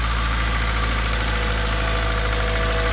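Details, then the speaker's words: 1997 Honda Civic (manual) idling smoothly just after a fuel filter replacement, steady even low rumble with no knocks, misses or surges; no fuel leak found on the lines, idle sits slightly high while cold. Normal idle. "You hear it running peacefully. There's no gas leak at all down here on that line right here."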